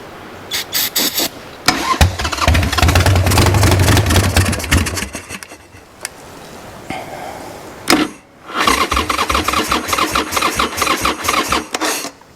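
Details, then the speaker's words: Wrecked 1996 Harley-Davidson Sportster 1200, parked several years: repeated labored cranking about two turns a second that sags and stalls without catching; owner says it's already killing the battery, of unknown charge, and will charge it. "Already killing that battery. I don't know if they come with a full charge or partial charge or what."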